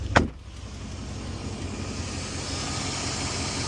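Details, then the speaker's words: 1997-2004 Dodge Dakota 4.7L V8 after alternator replacement: a click, then low, steady, even idle with no stumble or misfire, very balanced. Normal idle. "Running great. Yeah, it sounds good. Yeah. Hi. No misfire. Wow, very balanced. Really good."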